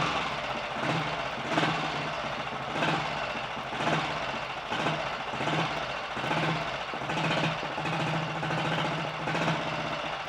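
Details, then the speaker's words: 1951 Royal Enfield Bullet 350 G2 after full engine rebuild, advance lever set: slow, loping idle with even firing pulses, no rattles or knocks; quieter, smoother running, as it should. "but this is definitely quieter and smoother running i would say now so that's good"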